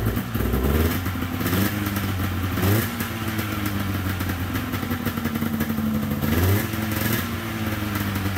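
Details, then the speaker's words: 1997 Polaris XCR 440 twin liquid-cooled two-stroke snowmobile, first start with premix poured down plug holes, weak spark: settles into steady idle between quick throttle blips, picking up cleanly; carbs may not need cleaning. Normal idle. "sweet I don't even know if I'll have to pull those carbs apart it's idling it sounds good"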